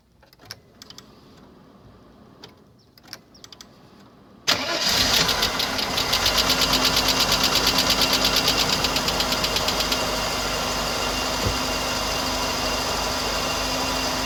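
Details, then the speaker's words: 1992 Mercedes W124 300E with M103 engine, about 143,000 miles, cold start: sharp, even tick about three per second over the idle, seeming to come from the centre area, fading and intermittent once warm; suspected worn lifter leaking down. "Yeah, so you heard it there, and it kind of goes away, but I gotta check anyways. Quickly quiet. Kind of comes and goes."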